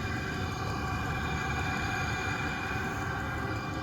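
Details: Vevor 5K 12 V diesel heater running in a trailer without a muffler, small diesel leak at a bung: steady loud whooshing roar with fast loose pulse about four a second; unsilenced exhaust, normal running.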